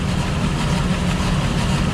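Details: 2005 Ford Escape 3.0L V6 idling very rough from a misfire that set no codes: low, lumpy, stumbling beat. The misfire is in the rear bank (cylinders 1–3) under the intake manifold; unplugging coil 3 made no difference.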